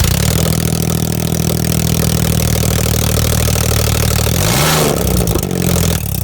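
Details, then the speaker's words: Smart Car engine revved on new homemade open extractors before the merge collector is fitted: loud raw bark at high revs with deep rumble, then pops and some flames as revs drop. "well that sounded a bit better i even got a few flames out that time"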